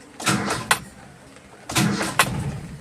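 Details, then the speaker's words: Toyota Kijang Kapsul 7K with a carburetor being set up, hot: two short starter bursts, the engine turns over but never fires; it must be started by pressing the gas pedal. Hard hot starting. "Oh Pak, harus injak pedal gas. Waduh, mobil rusak itu Pak."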